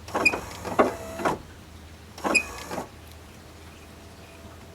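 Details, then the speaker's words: 1990–1997 Mazda Miata MX5 pop-up headlights with HID conversion cycling: two short motor runs with a thin high squeak over the whirr, traced to the driver's side; it persists despite heavy lubrication, cause unclear. "It's really bizarre, because it's lubricated up the wazoo now. Feels okay. Glass. That stuff needs to penetrate a little bit, but it sounds like something's not working the way it should."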